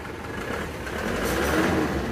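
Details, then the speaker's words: Isuzu Panther LS diesel as it arrived at the shop, blipped quickly on the throttle. It rises with a coarse, uneven, breathy roar and one cylinder is not pulling. The mechanic suspects a badly leaking compression; the engine was later rebored with cast liners. "gas gas kelihatannya ada yang enggak ngangkat satu oke kemungkinan sudah ada yang bocer parah kompresnya ini"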